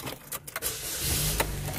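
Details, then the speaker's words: 2004 Chevy Cavalier blower motor after blower motor resistor replacement, cycling through fan speeds: a couple of clicks, then a soft even fan hum holding steady on low; all four speeds now working; normal blower motor operation on low speed. "okay it's working that's one two three four"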